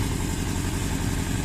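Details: 1982 Suzuki GS650GT, first running: low lumpy uneven idle, running rough; owner suspects fuel not getting through, bike seems fuel-starved when revved.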